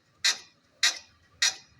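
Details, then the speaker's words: Toyota Hilux in for alignment, rocked by hand: sharp metallic knocks about every 0.6 s from a broken upper shock absorber mount on the suspension. "olhar aqui mais detalhada chama aqui ó o suporte do amortecedor o suporte superior quebrado se eu não me engano eu já tenho um vídeo no canal mostrando esse mesmo tipo de serviço nesse mesmo modelo de carro ela quebra Aqui ó pode balançar aí meu parceirinho ó o barulho quea da que ela faz aqui"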